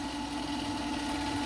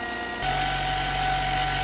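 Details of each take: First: Vevor 8x14 mini lathe after upgrade from 3/4 hp brushed motor to 1 hp servo motor: steady motor hum with bright tone and faint scuffing hiss, drive belt rubbing the belt cover corner, as it did on the old cover. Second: Vevor 8x14 mini lathe after upgrading the 3/4 hp brushed motor to a 1 hp servo motor and fixing interference: smooth, steady mid-pitched motor hum with no rubbing or scraping; drive running normally.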